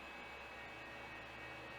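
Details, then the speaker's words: Very large old hard drive powered on: steady loud whirring rush with a faint constant whine and heavy vibration, green controller light on, but not recognized by the computer; cause not identified. "i wonder what it sounds like crap that's loud okay damn this this thing vibrates so much this is ridiculous"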